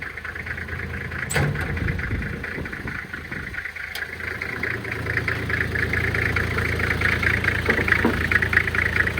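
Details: 1997 Toyota Land Cruiser HZJ75 diesel after true cold start around 20-25 degrees, windy, glow plugs used: steady, even idle clatter settling smoothly, no misses or knocks; little smoke, blow-by looks good; normal diesel idle.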